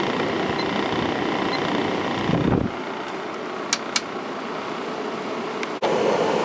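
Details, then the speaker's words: 1995 Kenmore 5,450 BTU window air conditioner, GE PSC fan motor on high then medium and low, compressor off, about 54 watts: smooth, steady airflow rush drops cleanly after a switch click, no rattle or scrape; normal fan operation. "go to high and we are pulling 44 amps 54 Watts very efficient motor medium and low"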